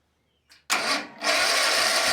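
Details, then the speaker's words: Kawasaki FS651S mower engine, very high hours, other plug wire undone: short whirring spin that never catches, so the remaining cylinder is dead. "Nothing. Dead cylinder. Okay, so now we know."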